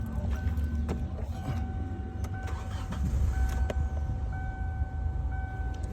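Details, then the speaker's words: 2007 Kia Sportage 2.0L that cranked but wouldn't start, now started after bypassing the 12 V ignition feed (fuses and ECM main relay checked OK): brief crank, then a steady, even low idle with no misses; normal start. "The car started. Yeah. As you can see."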